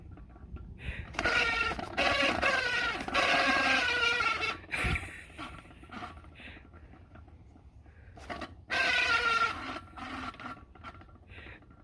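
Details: Old cooling fan spun by hand: each spin brings a wavering high squeal like a rubber squeak toy or rubber chicken, fading as the fan slows; something rubbing dry. Fan squeal.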